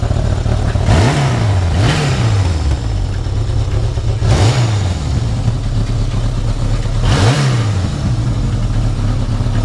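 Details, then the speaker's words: Yamaha XS1100 four-cylinder after carb balancing via the middle adjusting screw: four quick throttle blips over a steady idle, each revving cleanly and dropping straight back; smooth running. "Flip them. Hear the difference? I'd be happy with that."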